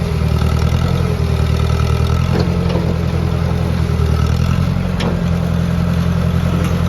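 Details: Ford 601 Workmaster 40 hp gas tractor idling after start-up: a steady, low, even rumble with a smooth regular beat and no knocks or misses; normal idle.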